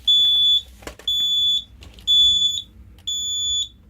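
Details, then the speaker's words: Simplex 4005 fire alarm panel with a Simplex 2099-9756 pull station: high beep about half a second long repeating once a second, continuing after the pull station was reset; panel still showing a trouble signal. "For some reason, when I reset that pull station, it's still giving me a trouble."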